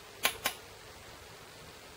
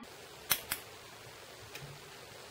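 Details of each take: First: Rover Bosch VP30 diesel injection pump, fuel quantity solenoid on the pump head bench-tested with a bulb as the load. Two sharp, light clicks about a fifth of a second apart; it won't click on a fast second attempt. Slow-responding solenoid. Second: Bosch VP30 diesel injection pump, the other fuel quantity solenoid bench-tested with a bulb as the load for comparison. Sharp single and paired clicks every second or so, snapping cleanly each time. Normal solenoid clicking.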